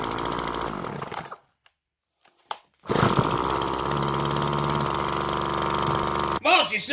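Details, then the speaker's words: Craftsman gas two-stroke string trimmer, model 358.797270, bought at a garage sale dead dry, after carburetor mixture screws set about one turn out and filter refitted: steady even buzz, no stumbling or surging, restarts first pull after running about 15 minutes between wide open and idle; normal running. "set up back running maybe 15 minutes between wide open and idle but she restarting on the first pull it can't beat a two dollar weed wacker"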